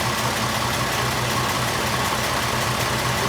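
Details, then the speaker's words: 1926 Oakland antique car running after 75 years, fuel and exhaust systems finished, about 10 minutes of running: an even, steady idle with no misses or knocks; normal idle. "it's been running about 10 minutes now so uh let's put this in here idle i think it's doing great"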